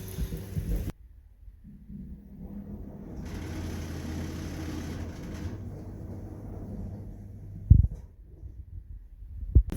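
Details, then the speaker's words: Samsung WF18T8000GV 18 kg washing machine, newly installed with transit bolts removed: low even drum hum with gentle rumble, fairly quiet, no squeal; early on it made a slight slipping-belt-like noise, now gone. "Ça fait du bruit. Tiens, écoute. C'est quand même assez silencieux."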